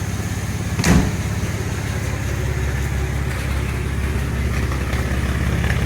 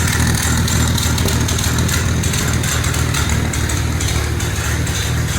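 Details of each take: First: 1948 Dodge Custom Sedan, flathead six, Fish carburetor, new "shotgun" dual exhaust with baffles wrapped in exhaust mat as silencers: smooth, even low rumble at idle; the earlier tick at the exhaust pad is gone. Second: 1948 Dodge flathead six with new intake, Fish carburetor and twin "shotgun" dual exhaust, first start and still cold: steady fast tick over a lumpy exhaust note. Owner suspects a leak around the baffle and plans fiberglass wrap to stop the ticking.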